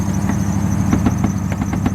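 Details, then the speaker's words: Neglected 2002 Lexus SC430 with misfire, fault codes, radiator leak and overdue oil change: engine idling with a thin steady high-pitched squeal and light chirps; slipping accessory belt. "belt noises not that big of a deal with me"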